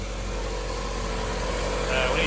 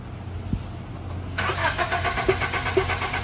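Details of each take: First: 1990 Honda CRX HF with a freshly installed CRX Si engine, first start, warming up with no check-engine light and timing still to check: an even, settled idle with a steady low hum, no ticking or stumbling, healthy. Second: 1990 Honda CRX HF, car sat for years, check engine light on: steady starter cranking about two turns a second for a few seconds, never catches. Owner suspects engine wiring harness.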